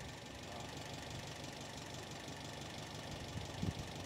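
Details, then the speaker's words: Restored 1969 Alfa Romeo GTV 1750 twin-cam, cold, idling around 850 rpm with 60 psi oil pressure, clutch released: quiet, smooth, even idle with no knocks, rattles or release-bearing noise; normal. "and we now have this car idling at around 850 RPM and so let's go have a look at it and uh very nice very nice even"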